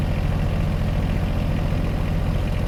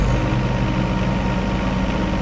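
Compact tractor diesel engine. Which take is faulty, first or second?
first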